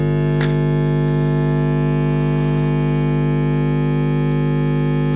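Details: Marshall Origin 50 guitar amp warming up on the bench, very loud nasty hum; loud constant low buzz that never changes, valves not red plating; mains hum, cause not yet found.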